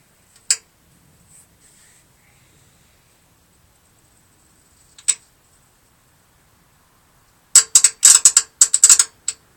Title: Damon hydraulic clicking noise